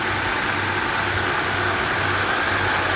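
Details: 2015 Kia Optima petrol at idle after replacing the faulty cylinder 2 ignition coil and a worn spark plug, check engine light gone: steady, even idle with no stumbles or skipped beats under a constant airy hiss.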